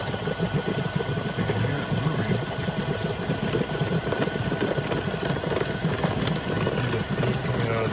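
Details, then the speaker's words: DeLonghi PrimaDonna after full service, hot chocolate function set to high density, 2 cups: steam drives the agitator, giving steady rough churning and hiss with an even flutter, no stalling or rattle; mixer spinning normally. "And there it goes, it's spinning away in there."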